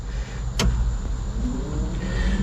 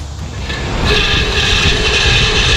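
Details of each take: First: 1970 Chevrolet C10 replacement A/C blower motor: steady, even whir with no grinding, rattle or squeal; new blower running smoothly and healthy. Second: 1970 Chevrolet C10 A/C blower motor, removed and jumped directly from the battery: raspy, gritty whine and rattly rumble that stays steady while running; worn blower motor bearings, replaced with a new motor.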